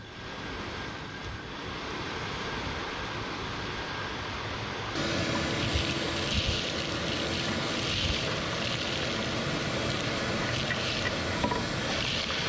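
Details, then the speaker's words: 1961 Chevrolet Parkwood blower motor, original 1960s wiring, freed of a rat's nest and given a cleaned ground, set on defrost: a steady electric whir that smooths out, speed barely changing: normal blower motor operation. "hey I hear some air from somewhere yeah she's up there on defrost it's not really changing speed a whole lot"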